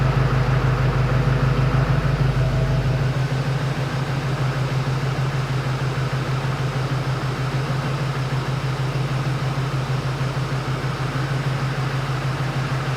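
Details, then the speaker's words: Steady, even idle with low rhythmic clatter and no misses or knocks on a replacement Duramax LMM diesel, first start after install with fresh oil, filter and coolant and a primed fuel system: normal diesel idle, running good. "she's running good so far"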